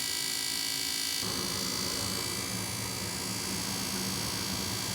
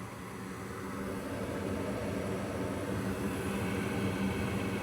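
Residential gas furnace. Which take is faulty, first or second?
first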